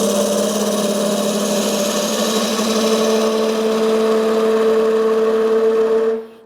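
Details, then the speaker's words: Wood lathe turning a tulip bowl from an end-grain blank, with a bowl gouge peeling into the side of the wood to remove waste fast. A steady motor hum near 450 Hz with rough cutting noise; the lathe strains under the heavy cut. "this lathe doesn't like what I'm doing already I'm not being that abusive to you"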